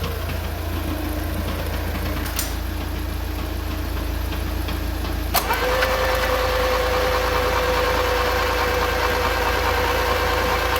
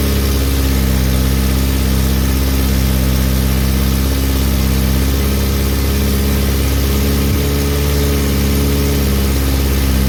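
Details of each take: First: Mk2 VW Golf revived after about 20 years off the road: labouring crank of about five seconds before catching and settling to idle; fuel escaping from a leak down low made it hard to turn over and start. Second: VW Mk2 Golf petrol engine running for the first time in 20 years on a cold -2°C morning, fuel fed manually after a fuel leak: steady, even low idle with no misses, knocks or hunting.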